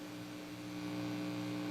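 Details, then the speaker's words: Ampeg Heritage B-15 reissue 6L6 bass amp, after cleaning input jack contacts: steady low buzz with fixed tone, no playing, worse with volume up, mostly on channel 2; channel 1 pretty clean; channel 2 preamp buzz remains. "There's still some buzzing, mostly on channel 2. Channel 1 is pretty clean."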